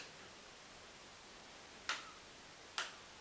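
Two crisp, sharp clicks just under a second apart over a quiet background: the indicator flasher is ticking normally.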